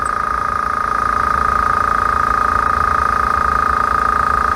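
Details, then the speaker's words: Small no-name air compressor nearly full after about 50 seconds of filling, getting slightly louder as pressure builds: steady mid-pitched hum with an even pulse about four per second; normal running. "and you can tell when it's about full cuz it gets just a little bit louder"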